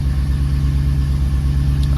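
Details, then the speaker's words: 2014 Ford Raptor V8 idling after oil change refill, circulating oil before top-off: deep even rumble, steady regular beat, no ticks or knocks; normal smooth idle. "We'll let this idle here for a couple more seconds, and we'll shut it off, and we will top the oil back off now that it's sucked it through the system."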